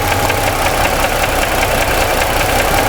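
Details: 2017 Ford F150 3.5 V6 at idle after new phasers and timing chain failed to cure the noise; fast loose knocking that doubles when cylinder 2 is unplugged during a cylinder-by-cylinder test; cause not yet confirmed.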